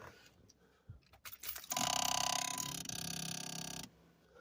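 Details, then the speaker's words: 1998–2002 Lincoln Town Car right main HVAC blend door actuator, unbolted and powered: rapid, even clicking buzz for about two seconds, motor skipping gear teeth; actuator is bad and being replaced. "did you hear that so that's what it's doing so I have to replace it"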